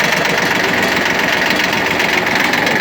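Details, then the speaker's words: Shibaura P17F mini tractor, 17 hp three-cylinder diesel, with rotary tiller engaged: steady diesel clatter with even mechanical whirr from the tiller, no knocks or grinding; everything running properly. "Давайте включим фрезу посмотрим как работает отличается очень легко спускаемся сцепление"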